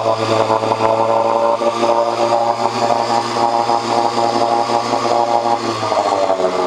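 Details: 1986 Johnson 4 hp Seahorse two-stroke outboard after cleaning water passages for overheating: steady fast idle, even and smooth, no misfire or knocking; strong water flow, head temperature down from almost 190 to about 80–120.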